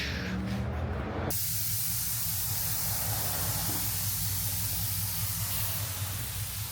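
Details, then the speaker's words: Stage 2 MK7 VW GTI on its first drive after the build, new clutch still breaking in and not yet tuned: a sharp airy hiss on throttle lift as the diverter valve vents normally, then a steady low rumble. "Yeah, sounds good. It sounds cool. You hear the diverter valve like"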